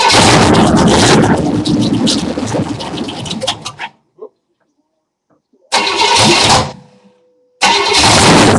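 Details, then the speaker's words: New 350 engine on a basement run stand, fed from a garden-tractor gas tank, primed and started: catches quickly and settles to an even, steady idle with no knocks or misses; normal start-up. "Prime it a little bit. It usually fires right up. It's got a nice little idle to it."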